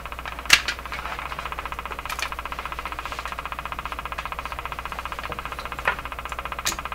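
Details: General Electric KL-70 AM/SW radio with a dead broadcast band, tuning capacitor plates closed: fast ticking over the hiss, with a pace that changes. It is outside electrical interference picked up, not a fault in the radio itself.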